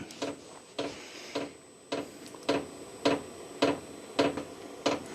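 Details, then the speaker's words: New VEVOR diesel heater, first start in a workshop: loud, clean metering pump clicks just under two per second and the fan blowing, but no burner roar building; not igniting, cause unclear. "Okay, so the pump is now pumping away. You can hear it, which is quite annoyingly loud."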